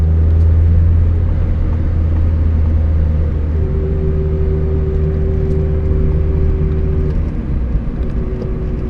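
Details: Mazda Miata cruising at constant speed: steady mid-pitched whine from differential over road rumble, disappears under hard acceleration or deceleration; ring and pinion gears found badly chewed up.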